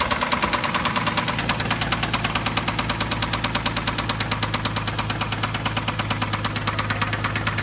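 Sharp, regular knocking at about three per second rides over a steady idle, a clear mechanical knock from inside the engine.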